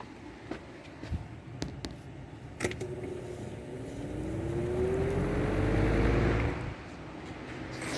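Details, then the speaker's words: Lasko 3733 box fan switched on at low speed: a few clicks, then a tone climbing over about three seconds as the motor spins up; loud-ish but conversation still possible, healthy startup. "not sure if you heard a startup sound it's loud it's a bit noisy i it's good enough where you can still have a conversation around it"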